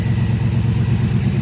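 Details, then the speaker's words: Ford Capri V8 project, engine cold at idle, oil pressure tester fitted: deep lumpy idle with quick dull rhythmic knock; owner fears bottom-end problem; engine knock, cause not confirmed. "my diagnostic to fix this strange knocking noise buy myself an oil pressure tester"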